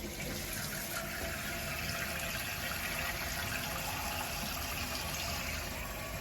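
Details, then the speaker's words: Toilet tank refilling after new flush valve and flapper installed and water turned back on, tank fully emptied so first fill is slower: steady hiss of rushing water with gentle trickle; normal refill, typically 45 seconds to a minute. "If your fill valve is filling up, it normally takes about 45 seconds to a minute to fill your tank up."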